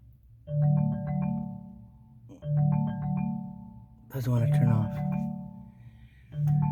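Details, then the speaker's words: 2019 Chevrolet Malibu with the engine off: a chiming ringtone repeats about every two seconds and never stops after an incoming phone call failed to connect; the infotainment ringtone is stuck looping. "so that's what's going on with it it just keeps on making that making that noise it was when I received a phone call and I was trying to answer it and it didn't want um to connect to the phone"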